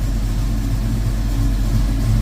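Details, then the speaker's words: 1972 Mach 1 V8 running in the garage before its first drive out after restoration work since it was brought in November 2023: an even, deep idle rumble with no ticking, knocking or stumbling. "she's good enough to pull out. Sounds good. Running good."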